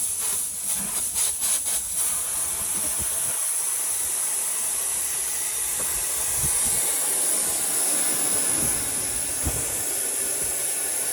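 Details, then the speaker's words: Arizona R-410A AC with 0 psi, pressurised with nitrogen through gauges: steady high-pitched hiss of gas escaping where a fill-port pipe rubbed a hole in an adjacent refrigerant line; later brazed closed, vacuumed and recharged. "I've connected the nitrogen tank to the ports through my gauges, and it turned out that I had a leak. You could hear it audibly."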